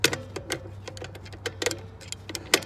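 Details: Dexter 5200 lb trailer axle with 12-inch drum brakes, new brakes fitted: sharp, separate ratchet clicks at an uneven pace as the adjuster star wheel is turned to take up shoe slack; normal brake shoe adjustment, no fault.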